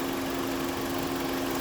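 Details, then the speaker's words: 2001-06 Chrysler Sebring 2.4L after radiator fan assembly work and new fuse, warm idle, coolant 172°F: steady rushing airflow, constant mid hum, no rattle or scrape, fans blowing hard on both sides; normal cooling fan operation. "You can tell that it's just crazy blowing on the driver's side. Same thing on the passenger side."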